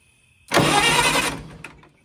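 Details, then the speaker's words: 1960 vintage military generator, with 12 volts at the coil: under a second of starter cranking that stops without catching; turns over but will not fire, points or fuel delivery suspected, not confirmed. "Nothing. You would think I was getting a spark. Oh well."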